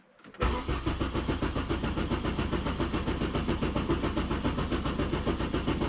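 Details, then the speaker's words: VW Golf Mk3 after fuel pump motor replacement: starter whirr, catches within half a second, settles to an even idle; still tends to smoke, and a brief initial delay noted. Normal start and idle. "oh it's the golf is back and running still has a habit of smoking though that's not too bad"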